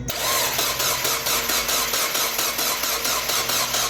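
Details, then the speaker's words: 1.8 BP4W Mazda Miata with freshly rebuilt engine, car sat a decade: starter cranks steadily at a couple of beats per second with no firing; main fuse intact but no fuel pressure, failed fuel pump suspected. "all right so our main fuse didn't blow but we're still not getting any fuel pressure"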